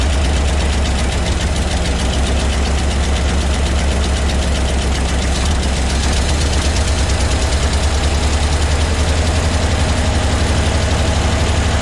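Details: 1975 Ford F750 pipeline truck, after getting fuel squirting with cleaner added: big V8 idling with uneven thumping pulses and lumpy rhythm, struggling to settle, like a fuel delivery problem; cause not confirmed.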